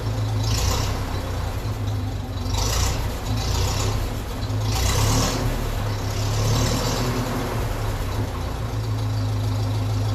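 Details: 1957 Ferguson 35 TVO tractor idling after the leaking exhaust sleeve joint was tapped down: a steady, even, muffled low rumble with no chuffing from the exhaust joints. It is more silenced now the leak is gone.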